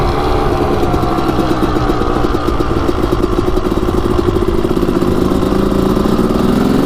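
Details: Suzuki RM250 two-stroke dirt bike, started on first kick after revival: crisp even crackle holding a steady rev for seven seconds, no misfires or rattles; running healthy.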